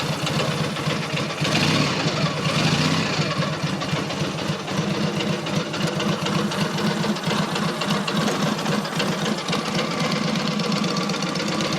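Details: Freshly rebuilt Matchless G11 twin, cold start without choke, tick-over raised slightly: even, quick idle with regular firing pulses, no knocking or misfire; normal fast idle.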